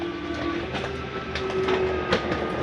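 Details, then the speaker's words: Jayco Jay Flight 28BHBE travel trailer slide-out retracting quickly: a steady electric motor hum with a faint whine as the room pulls in without strain. The noise is normal, nothing to fear. "So this runs in rather quickly. I wanted you to hear that noise. Don't fear that noise."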